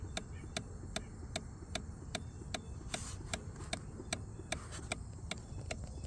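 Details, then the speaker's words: 2019 Kawasaki Ninja 1000 (ZX1000) under rebuild, key-on with engine off: sharp even ticks a bit over once a second from the front, like pumping; owner suspects something loose or shorted, cause not yet known. "some sort of like pumping noise up here. So the screen is slowly working I think."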